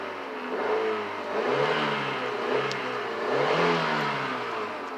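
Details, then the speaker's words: $50 auction car with 74,920 miles and a new battery: engine climbs and drops cleanly through several throttle blips, pitch rising evenly with no clatter or misfire; sounds healthy. "Revs up, sounds really good."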